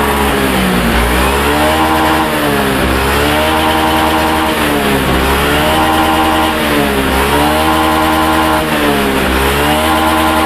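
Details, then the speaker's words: Honda Beat Pop scooter after fixing low fuel pump pressure (ECU reset via DLC socket): engine blips up and down cleanly with no stumble or brebet hesitation; previous stalling on throttle is gone, running healthy. "bisa lihat sendiri saat putaran gas di player-blayer ya gasnya diblair ini teman-teman bisa lihat sendiri tidak ada terjadi kendala brebet"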